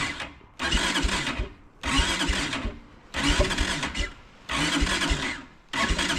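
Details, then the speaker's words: Kawasaki Brute Force 300 ATV (Kymco engine) before valve adjustment: compression 180, black plug, backfires when starting. Short starter bursts without catching; it won't start with the choke on or off, only by fiddling the button. The owner suspects a tight intake valve. "eventually it'll start but it won't ever start with the choke on it will only start if you play with the button like that so I think I think what is going on is one of my valves is tight I think it's an intake Val"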